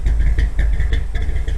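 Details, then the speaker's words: 1957 Chevy V8 long stored, carburetor float came unstuck: deep even idle with steady low rumble, no knocks or misses; 35 psi oil pressure at low rpm, temperature low, healthy. "Oh, it's actually idling now. Maybe the float came unstuck. Oh boy. Yeah, the float must have come unstuck. Listen to that throbbing."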